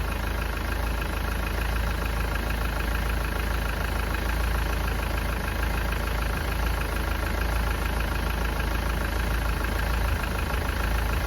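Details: Engine idling during a block test for exhaust gases in the coolant, head gasket failure suspected: an uneven, churning idle with a loose, knocking stumble about four beats a second over a steady hiss, running rough.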